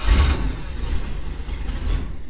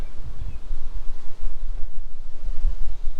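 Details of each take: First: Boat with Mercruiser engine and Alpha One Gen 2 outdrive, after fixing a bad connection that had caused slow starting: brief crank that catches almost at once and rises into a strong running rumble; quick, normal start. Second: Mercruiser boat engine with an Alpha 1 Gen 2 outdrive, a new battery charged overnight and a good alternator. The starter turns over slowly and laboriously, with a few heavy, widely spaced beats.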